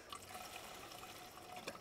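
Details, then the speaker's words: Old Gen 2 Honda Goldwing with previously seized engine: soft, uneven liquid gurgling and trickling as the fuel pump pushes fuel; supply to the carburetors is flowing. "It's flowing. You hear it gurgling."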